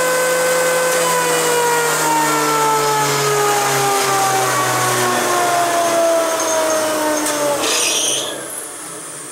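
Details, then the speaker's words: Powermatic 27 (27S) single-phase shaper coasting down after switch-off: the motor hum drops in pitch, with a brief rattle near the end. This is a loose spindle pulley, heard on coast-down as the centrifugal switch and capacitor give a braking effect, not while running. "you don't really hear it when it's running but you hear it when it coasts down which is the sign of it"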